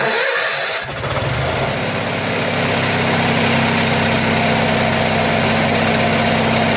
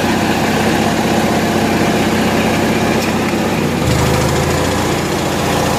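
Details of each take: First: Generator on 1963 GM PD41106 bus conversion, cold start before warm-up: catches and settles into loud uneven run with wavering beat about four per second; owner suspects bad carburetor float. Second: Generator on 1963 GM PD41106 bus conversion running air conditioning: steady even drone settling slightly lower as load comes on near four seconds; runs healthy under load.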